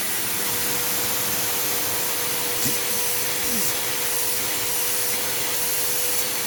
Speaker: strangely enough it doesn't have very much suction and i'm not sure why that is because everything appears to be clear on it